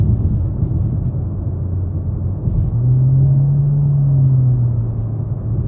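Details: 2016 Jeep Patriot 2.0L automatic: low drone that rises in pitch and swells under acceleration, louder with heavier engine load, and stops in neutral even when revved. Load-dependent drone, cause unknown.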